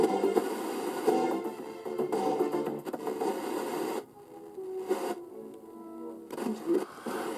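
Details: Roberts Revival R250 vintage radio after repeatedly sweeping the dial to clean the polyvaricap tuning capacitor contacts: music plays clean with no scratching or crackle; scratchy tuning resolved at no cost.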